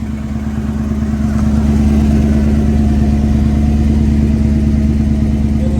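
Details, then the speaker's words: 1984 Mercedes-Benz 500SEC Euro, 116,000 miles, idling: rhythmic puffing about three per second over the engine note; exhaust leak from a split at the top where the pipes join, needing a cut-out and welded patch. "Here goes that exhaust leak I was telling you about."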